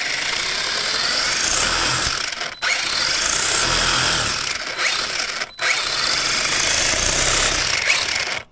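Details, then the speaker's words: Schumacher Cougar SV RC car with Hobbywing ESC, after moving the motor because the pinion mesh seemed too tight: high, even motor whine in three bursts, clean cut-offs, no gear rasp or clicking; drivetrain now healthy. "Yep, so that is a lot better now. So the motor sounds good, the drive system sounds a lot healthier, so that has made a huge difference."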